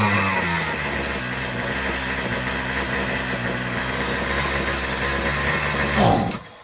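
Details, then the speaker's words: Troy-Bilt two-stroke string trimmer on a new carburetor, half choke, cutting head removed: starts right up, steady high buzz then cuts off; the high-speed mixture seems a little hot, suspected lean. "Starts right up. So the high seems to be a little bit hotter."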